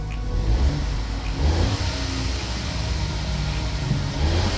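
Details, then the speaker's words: Ford 1.0 EcoBoost after exhaust flexi pipe repair (previously blowing, clamp fitted reversed and bolted): revs with a deep, steady exhaust note, no chuffing or rasp; leak fixed, sounds better. "So anyway, there's old Flexi. Hopefully it's all good. Well, that sounds better, doesn't it?"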